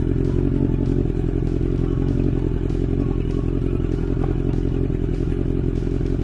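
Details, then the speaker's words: 1983 Honda CB1100F four-cylinder idling, after carbs were pulled, cleaned and adjusted, throws a faint pop about every half second; the bike never used to pop, owner doubts the carbs. Not confirmed. "you know that topic is really shitty man never used to pop i'm pretty sure it's not in the cab he's"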